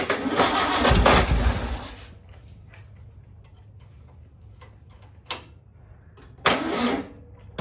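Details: Rebuilt original 36hp 1959 VW engine on its first start attempt, cranking slowly on a weak jump box; catches and runs roughly about two seconds, then dies to clicks. It barely fires and the jump box needs recharging.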